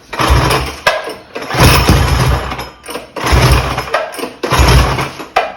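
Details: Mega Moto 212 mini bike with modified Predator Hemi engine and Mikuni carburetor, idle turned up: short bursts of running that fade out within a second or two, repeatedly stalling; carb fuel/idle setting suspected, not confirmed.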